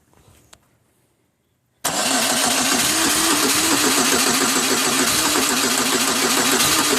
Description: Can anyone please tell me why my car won't start it's a 2002 grand am..This is the way it sounds when i try to start it but it eventually starts after about 6 to 7 tries.